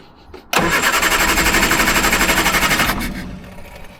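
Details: Triumph Herald, Stromberg carburettor, after jet undone from fully-in and choke pulled out: steady starter churn about four beats a second for over two seconds, never firing. Cranks but won't start; carburettor problem unresolved.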